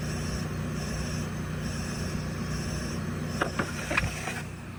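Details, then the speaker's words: Mercedes S550 S-Class engine health check, leak-down tester: quiet exhaust hiss swelling and dropping as thumb covers and uncovers the plug hole, air leaking past slightly leaking exhaust valves, enough to trigger a check engine light. "So that is the sound of the air changing whenever I'm blocking the hole and unblocking the hole. And there should be no air in the exhaust system because the exhaust valves are shut. They're supposed to be. So the exhaust valves are leaking, obviously slightly"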